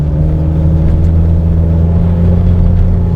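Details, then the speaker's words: 2004 Nissan Patrol Y61 with a second-hand replacement ZD30 diesel, fitted after the original developed a tick. Fully warmed up, hard acceleration to 60. A strong, steady diesel drone with no ticking or knocking and no smoke. Pulls nicely; normal acceleration. "And yeah, it's pulling nicely. 50, 55, 60, and that is our limit on this road."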